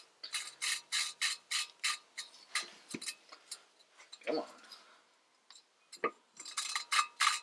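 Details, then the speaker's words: Lapping a valve on a B20A5 head from an '88 Honda Prelude. Quick gritty rasping strokes turn less gritty as the seat cleans up, but the seat is not yet mated. The parts had WD-40 on them and should have been degreased. "see as you as you grind it clean it'll it'll ride a little smoother stay stuck on there you go and you can hear how you know it doesn't sound as gritty"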